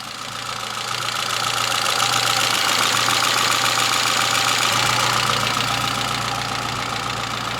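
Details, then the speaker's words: Citroën Saxo VTS petrol, over 20 years old and 200,000 km, stock with a small stainless silencer, just started; a slight shake at startup, then a fast, even idle with a steady hum and no knocks or stumbles. "ça tremblote un petit peu au démarrage mais autrement dit le moteur tourne toujours aussi bien et tourne rond"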